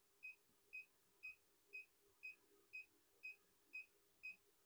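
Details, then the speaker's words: JIANSHUN 6 kW inverter at about 6–6.2 kW load running a 3 kW EV charger and heater: short sharp high beeps about twice a second, its near-full-load warning, with fans barely running. "Let's see how much it beeps. Oh, there you go. You can hear it beeping. 6.2 kW. 6 kW on the inverter."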